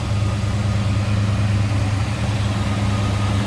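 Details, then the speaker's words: 1968 Ford Torino GT fastback, Y-code 390 V8, reported 41,000 miles, new water pump, plugs, wires, cap and rotor: deep, even V8 idle with steady low rumble, no stumbles or knocks; runs smooth, normal idle. "Smooth running. Wow. Sounds good."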